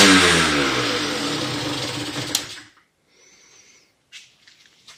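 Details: Motorhispania RX50 Racing (Peugeot XR6) two-stroke moped, started on choke after side stand replacement with cooling still to sort: thin ragged buzz that sags and dies after a couple of seconds; runs poorly and seems to need choke, cause unknown.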